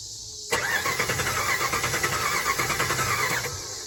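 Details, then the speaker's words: 2006 Dodge Ram 1500 Mega Cab, after fuel pump replacement that didn't fix it: cranks, catches on starter fluid sprayed into intake, runs rough and uneven about three seconds, then dies; owner suspects fuel delivery, possibly the regulator, not confirmed. "So to me, the way it's wanting to start when I spray starter fluid in it is still got to be a fuel delivery issue, I feel like."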